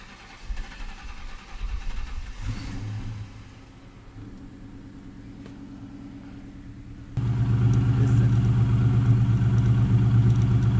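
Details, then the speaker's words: Ford 5.0 two-valve Mustang V8 with electrical and air-leak issues, cold start before the wiring harness is pulled: deep, even burble settles into a steady idle, then swells with a firm rev; smooth, healthy-sounding. "this sounds so good. Look, I love this car."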